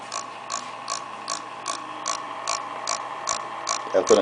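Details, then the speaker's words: Acer laptop fan, spins fine but noise returns after reassembly: sharp ticks about two and a half per second over soft fan hum; fan catching on something. "I've already added power once a fan looks great turns good but every time we put it back together I get this noise"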